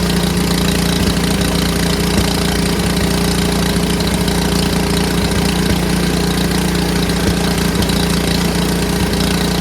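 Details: Neighbor's snowblower started after a tune-up, having sat in the garage a couple of weeks: small engine fires up and settles into a steady, even putter with no misses or knocks, running healthy.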